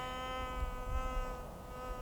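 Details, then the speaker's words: White's GMT metal detector on auto track, after ignoring an iron target: steady buzzy threshold holding even with no wavering or chatter; clean, stable threshold. "Nice, clean threshold."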